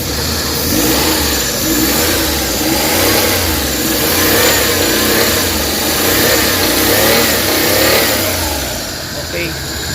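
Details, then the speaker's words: Suzuki DA64/DA63/DA17 with AC on, after repairing burnt overheating wire causing vibration: engine revs climb and settle smoothly, no stumble or shudder; vibration gone, TP voltage 4.59 V. "Okay na. Wala ng vibrate pero was ang kahtang dahil wiring ang problema nito."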